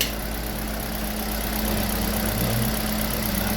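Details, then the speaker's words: Kia Rio G4LC engine after rebuild following oil pump failure, running after the exhaust manifold was tightened: steady, even low idle hum with no knocks, ticks or misses, no warning lights; normal healthy idle. "so yeah we're good to go just listen to that just listen to that quiet nice"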